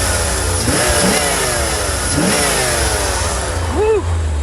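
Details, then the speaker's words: Corvette recovered from a Florida swamp, made to run and drive again: engine blips up and falls back cleanly several times, revs rising and dropping smoothly without misses or knocks; normal revving, sounds healthy. "throttle man. She sounds good, guys. She does. She sounds real good."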